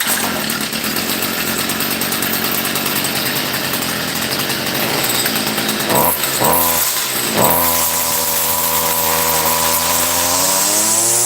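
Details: Pawn-shop Stihl FS55R two-stroke brush cutter that would not start, now primed and started on choke: thin, high buzz holds steady, then climbs smoothly with throttle, running clean without stumbling. Normal running.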